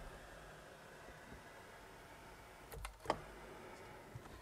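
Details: Mercedes E320 (W211 E-Class) sunroof after fixing the grinding motor with two washers restoring motor tension: steady quiet motor hum, no grinding, a few light clicks as the roof moves.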